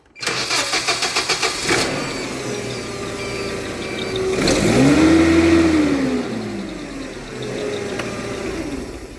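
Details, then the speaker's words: Hyundai 25L with an E-controls fuel system and a hard-start complaint. Cranking immediately without waiting after key-on gives about eight even cranking pulses, then it fires at once and settles; suspected power relay timing out after a few seconds. "However, what I noticed is when you just go to start the machine without that delay I just did, it'll start up just fine."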